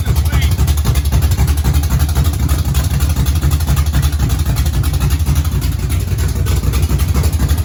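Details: Race car engine finally idling, not yet up to temperature and running without a cooling fan: deep, loud, steady low rumble with even pulse about four per second, no misses or knocks; normal idle.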